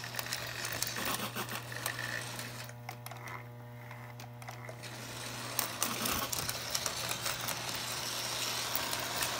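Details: Lionel locomotive reversing E-unit after repair (pawl arm bent outward so the solenoid plunger travels fully): clattering run with only a faint, steady hum. Buzz nearly eliminated.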